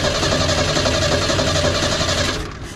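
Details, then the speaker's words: Long-sitting junkyard inline-six with one-barrel carb, cranking with throttle: fast, even cranking churn that never catches, then stops; crank no-start with no spark, a power wire not hooked up. "sounds like we do not have spark um oh this needs power wire hooked up that you don't have hooked up"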